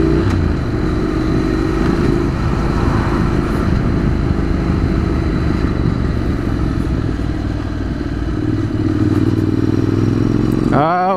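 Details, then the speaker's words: Motorcycle with diesel mixed into its petrol, accelerating and climbing uphill: clattering, uneven, tractor-like chugging, slow to accelerate; the rider suspects unburned diesel is firing in the exhaust. Rough running on diesel-contaminated fuel. "it's running like horribly wrong and it's taking ages to accelerate look"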